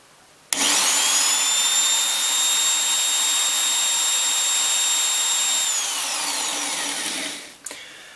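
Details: Biax scraper (Swiss-made) running after rebuild and bearing cleaning, stroke set close to original position judged from wear: steady high whine with even buzz at constant speed, no knocks or rattles; running smoothly.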